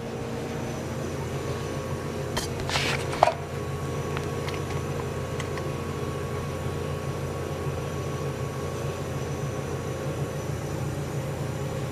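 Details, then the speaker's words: General Electric CJ-1-C16 antique flat-top mini fridge after repair and reassembly, charging in a 100-degree room: low, steady compressor hum with constant fine buzz, one brief handling tap, no knocks; compressor sounds nice while float chamber fills with liquid refrigerant. Normal running. "Compressor sounds nice. So for this system to start circulating, this float chamber has to fill up with liquid refrigerant to a certain degree."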